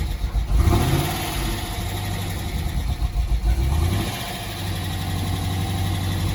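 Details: Dodge Challenger SRT8 V8 starting after a new fuel pump relay was fitted: cranks, catches quickly, blips up and settles into a steady even idle; drive belt shattered and due for replacement.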